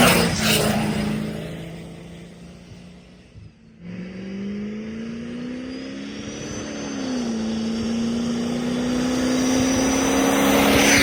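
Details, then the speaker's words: 1977 Winnebago Chieftain motorhome, big-block 440 with 82mm turbo, tuned, accelerating toward 60: strong steady climbing drone with faint turbo whistle over road noise; healthy acceleration. "Hear the turbo. Fireballs out the side. I mean, it's still a motor home, but uh it gets up to 60 pretty quick now."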